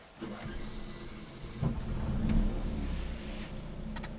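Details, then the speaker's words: Motorhome generator started from the cab after its control board was replaced: a short crank, then a low, steady drone at an even pace without hunting or stalling, with the indicator light on. Normal start and run. "It's running. Yep. And the little light is on."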